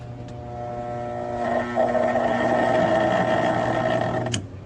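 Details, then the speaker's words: Conventional contactor with a 220 V coil, fed low voltage beside an ABB AF contactor (100–250 V multi-voltage coil, which closes at about 70 V): loud mains buzz with a rattly edge, coil chattering from undervoltage; it closes around 130 V. "nuestro contactor a efe cierra aproximadamente 70 volts mientras que el contacto convencional no ha cerrado y se escucha la vibración"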